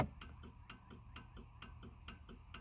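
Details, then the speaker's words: 1995 Cadillac Fleetwood with parking lights on: relay ticks about every half second, around 130 a minute, a hyperflash even though all bulbs are fine and the relay is plugged in; cause unknown. "i don't quite understand why they're flashing rapidly but all the bulbs are fine"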